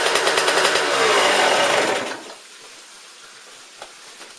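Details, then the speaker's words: 2004 Suzuki RM125 two-stroke after top-end rebuild, in neutral: fires up with a crisp, even crackling buzz, revs briefly, then drops away; runs clean with no knocks. "There you guys go. That way you know it runs."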